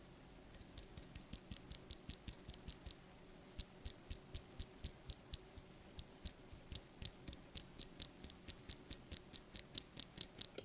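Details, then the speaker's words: Stock Wooting Flaretech switch before lubing and filming: rapid sharp keystroke clicks, each with a thin metallic ring from unlubricated spring ping, plus top housing wobble and rattle. "The reason why I say you should probably at least switch film and lube the spring of Flaretech switches is because it gets rid of the spring ping and it also gets rid of the top housing wobble. And the wobble is already pretty bad, but the spring ping is on another level."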